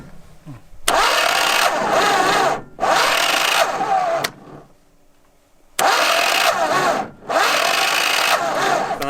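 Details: DT-75 Bolotnik crawler tractor in a swamp: two long cranking bursts with a pause between, the starter grinding but the diesel never catching. It cranks but will not start; the cause is not confirmed.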